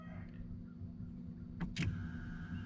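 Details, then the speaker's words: Truck with key off, headlight switch grounds disconnected: couple of sharp clicks, then faint steady high electric hum as the fuel pump primes when the switch is rolled fully; faulty headlight switch circuit back-feeding the pump, works normally when grounded. "that's the fuel pump prone there's an interesting situation here if you unground these i'm not grounded and you roll this switch all the way down or up i mean the fuel pump primes"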